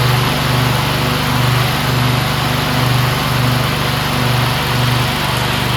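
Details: Briggs V-twin on a DLT 2000 after replacing bent pushrods, both head gaskets, one cylinder head and the carburetor: a loud, steady twin drone holds even speed under 48-inch deck mowing load with a gentle rhythmic pulse. A healthy, smooth-running engine.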